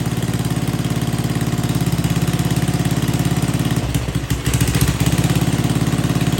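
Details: Old Troy-Bilt Pony rototiller running on old, stale-smelling gas with no fresh fuel added: single-cylinder chugs at a steady, fairly even beat with a brief dip in the middle; running as it should.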